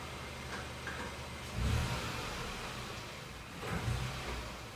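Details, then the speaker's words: 2015 Ford Ka engine test in the garage: low drone with load surges and a harsh metallic rattle like a hammer on metal; spark knock (pre-detonation). "aí como acredito que vocês podem ter percebido tem um barulho metálico acontecendo no motor do do meu carro e esse barulho parece que tem um martelo batendo em cima de uma estrutura metálica"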